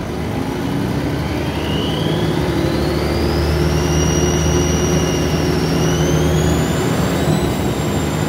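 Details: Alexander Dennis Trident 2 ALX400 double-deck bus 5431 pulling away in service: a loud whistle climbs steadily in pitch with engine speed over the diesel drone; a suspected turbo whine under acceleration, not confirmed.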